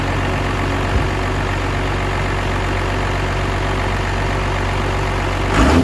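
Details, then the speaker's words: 12-valve Cummins diesel with a newly installed XDP high-output alternator replacing one with a failed bearing: steady idle with a brief rev, no bearing whine or rattle from the engine front: normal running after alternator replacement. "Everything so far seems to be checking out fine, charging well, no more bearing noise, no more rattle out of the alternator."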